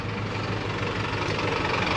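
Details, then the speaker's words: Ram 1500 5.7 after fitting BBK shorty headers that leaked, now loaded up to check for leaks: deep steady rumble, no ticking or puffing at the manifolds; exhaust sealed, normal sound with no leak. "all right let's put a load on this and uh make sure it doesn't leak ooh nice oh it sounds like a dodge again fantastic"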